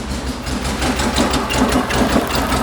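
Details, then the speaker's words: 1974 VW Beetle flat-four with dual 34 carburetors and points ignition, warm at idle during tune: slightly uneven, lumpy beat; sync tool reads 5 on one carb and 10 on the other, carbs out of sync. "I don't know if that noise is picking up five on that one get in there and 10 on that one they're not even"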